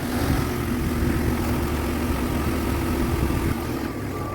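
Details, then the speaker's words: Jeep XJ warm at operating temperature after free AC clutch fix, compressor with 242,000 miles: steady idle as clutch pulls in and holds after revving, no slipping or chatter; before, it stopped on rev and would not restart. "Let's see if it starts. Yeah, see, that's exactly what it's supposed to do. So I would say this is a fix."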